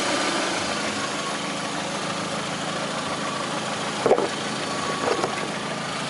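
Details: Lada Priora with 21126 engine at steady, even idle: faint tapping underneath with a couple of sharper knocks; knock at idle, no clear cause.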